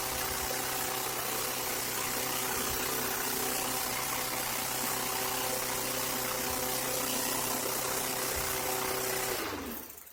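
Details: 2003 Craftsman M110 single-cylinder mower, first cold start of the season after spark plug, plug wire and service, started in 2 pulls: even, steady hum with no surging or missing, then winds down cleanly; healthy running.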